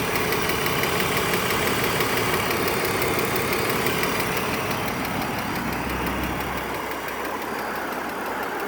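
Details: 2003 BMW 330ci E46, manual, idle: light regular tick about three per second; intermittent, sometimes from cold start through driving, occasional misfire; new plugs and coil, 5W-30 oil with Lucas additive did not fix; source unknown.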